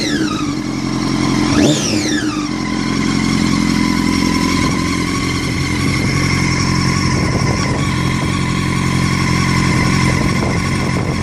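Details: 2006 Honda CBR1000RR: high-pitched whine over the engine, louder and sweeping with revs; bike felt held back, hard to shift and move in gear even with clutch pulled but rolls freely in neutral; cause unknown.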